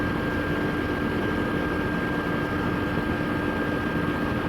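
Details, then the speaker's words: Trane XR13 outdoor AC condenser fan after replacing a cracked fan blade, running with the indoor AC on: steady even hum and airy whoosh, no rattling or squeaks, only minimal vibration, not out of balance. "Come out away from it because it is a little loud, but do you hear how it's humming? No rattling, no squeaks."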